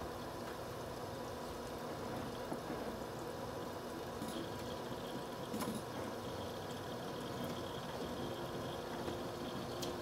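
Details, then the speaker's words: H220 AIO pump up close, no fans, steady 2947 rpm, essentially maxed, about 5 dB above ambient: faint even whir with soft water trickle, no grinding or rattle; normal pump operation. "give you the speed readout according to speed fan on the pump speed right now it's running at a steady 2947 rpm it's pretty much maxed out right now"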